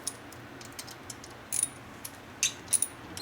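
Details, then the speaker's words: 1979 Harley shovelhead 93ci rebuild: stainless steel screw turned dry, without lubrication, into aluminium thread gives short, thin, high-pitched chirps; thread galling. "now, but the first time it was galling up. That's because there's nothing on this thread to keep it from galling. There's no lubrication."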